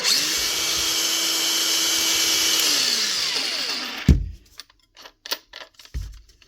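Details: 2021 Makita DGA452 cordless grinder, previously running very slow, after new brushes, brush holder and caps: spins up to a clean, steady high whir with no rattle or grind, then winds down smoothly. Running normally.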